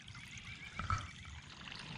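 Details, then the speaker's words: Basement sump pump that runs nonstop, heard at the outside discharge hose: only a faint thin trickle with little pressure behind it; discharge pipe plugged with iron ochre (iron bacteria), before cleaning with a Clog Hog pressure-washer hose. "you can see that little tiny bit is coming out of the discharge of the hose here very little and not very much pressure behind it"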